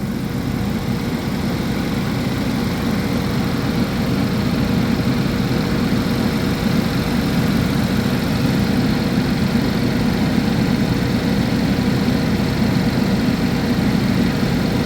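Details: 2011 GMC Terrain / Chevy Traverse with recurring P0341 cam code despite new phaser solenoids and intake/exhaust cam sensors; runs great cold. Check-engine light on; smooth, steady cold idle, no stumbles or tapping; normal.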